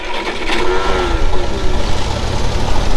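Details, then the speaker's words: Engine running rough with coolant all over it: lumpy, uneven low chug with missing beat; number one cylinder dead, not firing. "That one's firing. That one's firing. That one's not got jack. Number one's not doing quite much yet."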